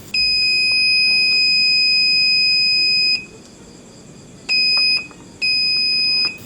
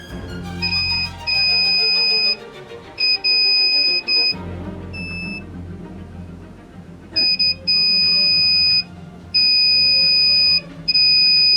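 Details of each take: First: Aiwa CSD-SR545 stereo (2000s), left-channel 4-inch 3.2 ohm woofer tested in multimeter buzzer mode at the amplifier output socket: loud steady beeps show the coil is intact; fault suspected in the BA5417 power amplifier. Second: Aiwa CSD-SR545 compo (2000s), tape playback mode switch tested: continuity beep keeps cutting out and returning, showing dirty, unreliable switch contacts; fix is cleaning with contact cleaner.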